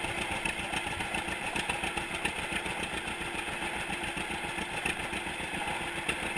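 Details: 1942 John Deere Unstyled A conversion, engine formerly stuck, on its first start after new spark plug wires (GoPro in waterproof case): lazy, even two-cylinder putt-putt at a slow steady beat, no knocks or misses; running clean and healthy.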